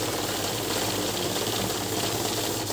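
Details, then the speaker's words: Heavy-duty cash counting machine with fake note detection running a normal count of fed notes: a fast, even fluttering whir with no catches or stalls, a healthy counting run. "तो हो गई हमारी counting, normal counting हो गई है।"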